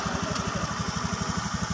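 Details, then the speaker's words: Honda Scoopy injected scooter, MIL blinking seven short flashes, engine temperature sensor wire broken so ECU reads engine as always cold: chugging, uneven rich-running idle about seven puffs a second. "kalau ini putus itu Ecu membaca bahwa mesin terlalu dingin ya mesin terlalu dingin"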